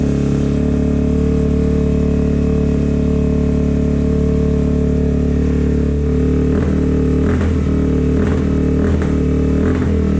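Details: 2004 Suzuki DRZ400S after carb clean and new fuel screw o-ring, cold start on choke, idle hanging with sharp backfire pops; running very lean, needs richening, probably with a bigger pilot jet.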